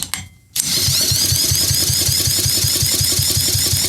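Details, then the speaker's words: Craftsman pressure washer with a 6.5 hp Briggs OHV engine, water cleared from the cylinder, fuel mix poured into the plug hole, plug worn out, throttle wide open. After the pull it chugs and pops roughly but won't run. "yeah it's trying to kick she tried to run it might actually run"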